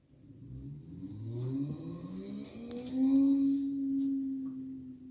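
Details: Whirlpool Cabrio high-efficiency washer in final spin with a very heavy load of jeans and towels; smooth motor hum climbing steadily in pitch as the drum spins up, no shaking, rumble, grinding or knocking. Normal, healthy bearings.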